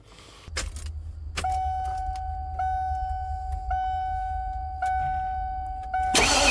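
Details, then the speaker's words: 2000 Ford E350 Super Duty van with a no-start, just after replacing the idle air control valve: steady six-second crank under a repeating warning chime, engine never catches. Crank no start; owner suspects fuel pump or filter though fuel smell present. "well that didn't work so um I guess we just got to keep going from there"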